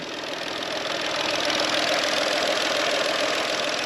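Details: VW engine after a water pump replacement and a test drive: smooth, even, hiss-laden idle with a steady beat and no knocks or ticks; settled and healthy.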